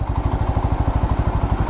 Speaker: आवाज में फर्क है। मतलब जो आवाज पहले आया करती थी ना वो अब नहीं है। तो इंजन जो है साइलेंट हो चुका है।